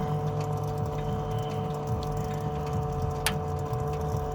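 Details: E70 BMW X5M after shutoff, since filling with 110-octane race fuel: steady electric hum under a low, uneven washing-machine-like sloshing gurgle; owner suspects the coolant pump or turbo coolant pump, unconfirmed.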